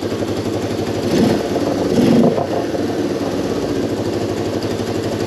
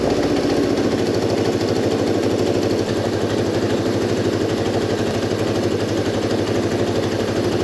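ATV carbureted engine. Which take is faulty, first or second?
second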